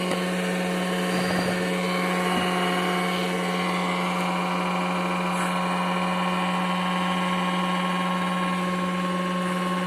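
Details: Renault Twingo 95 at steady idle: raspy, puffing chuff under engine note from exhaust leak at manifold gasket and flex-joint (donut) gasket.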